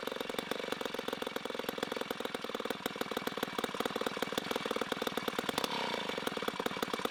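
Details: 1960s Homelite C-51/XL-12 vintage two-stroke chainsaw, revived, started with choke: loud, rapid, fairly regular crackling that is slightly burbly at steady throttle. It is running a little rich and may be low on fuel.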